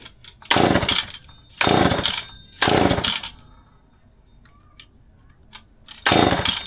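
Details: Old McCulloch Pro Mac 10-10 two-stroke chainsaw on 40:1 mix, first test run after full teardown and rebuild: four crisp throttle blips about a second apart, each revving cleanly and dropping to steady idle; normal running.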